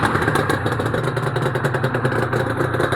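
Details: Honda NSR250R-SP MC18 250cc two-stroke grey import, start of a restoration project with JHA expansion pipes fitted and the power valve servo turning: crisp, rapid, even popping at a settled idle with a clean pipe rasp and no misses. Normal, healthy idle.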